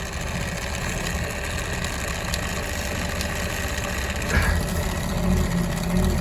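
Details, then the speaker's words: Webasto Thermo Pro 90 heater on a boat that won't start: coolant pump runs only after being tapped and gives a rough, gravelly rattle over a steady low hum, like a bag of loose nails; the worn pump needs replacing. "give that pump a bit of a tap you can hear it now it is running sounds like a Bag of"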